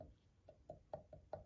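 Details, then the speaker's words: Land Rover turbo removed and on the bench, shaft pushed in and out by hand: sharp metallic taps about four a second from the thrust washer; roughly 1 mm axial play where there should be none; shaft bearings also worn. "this this movement here is the thrust washer you can hear it tapping that's me moving the shaft backwards and forwards"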